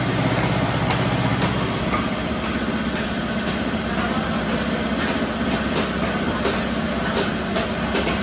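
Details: Rewound old ship motor used as single-phase rice mill motor, 195 V supply drawing only 9 A: steady motor hum under busy rattling background, no growl or labouring. Normal motor running.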